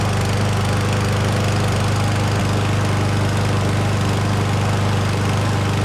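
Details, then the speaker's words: Certified push mower from Canadian Tire after its missing oil dipstick was replaced, with fresh oil and gas: a steady, even single-cylinder drone with no misses or knocks, and no oil leaks at the dipstick. Normal running. "so she's running like a top I don't see any leaks at all out of the oil dipstick there"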